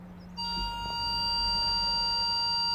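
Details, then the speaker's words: Ford Galaxy parking sensors with fault B1B53, after repair: rear speaker sounds a steady, unbroken high-pitched tone because something is close to the sensor; speaker working. "Lovely, working perfect."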